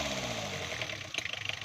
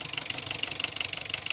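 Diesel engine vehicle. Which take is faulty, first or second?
second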